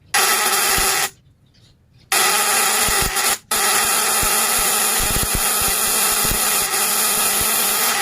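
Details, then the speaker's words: Fish-stunning device (setrum ikan) with vibrating contact breaker (platina), 1 mm primary and 0.5 mm secondary wire: breaker set tight against its contact for bigger output, giving a loud, harsh, steady buzz that cuts out briefly twice and restarts. "kalau semuanya ingin besar dikasih kencang itu kasih mepet dengan platina duduknya Jadi sebelum keluar itu lebih besar"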